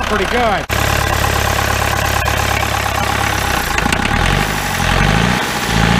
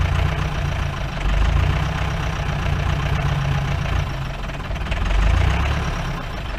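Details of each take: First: 1953 Mercedes 170D (W136) four-cylinder diesel, previously seized, revived after valve adjustment, glow plugs bad: catches after a brief crank, settles into steady even diesel clatter; healthy idle. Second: 1953 Mercedes 170D W136 four-cylinder diesel, revived after being seized, smoking: hard rattling knock at idle that surges and fades, clears up a little; owner suspects worn injector nozzles needing replacement.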